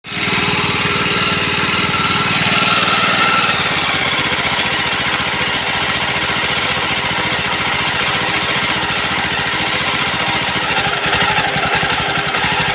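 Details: Jawa 42 with a reported heating issue: the single-cylinder engine runs steadily with a harsh, uneven rattle riding over it. Something sounds off, but the cause is suspected, not confirmed.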